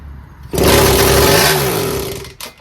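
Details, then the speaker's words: 1974 Indian JC54 with Minarelli P4 two-stroke fires and roars briefly, then revs sag and it dies within two seconds, won't hold idle; owner suspects fuel starvation, carb missing idle and air screws. "So I think it will idle. We just need to get it. I think it's just cutting off because loss of fuel."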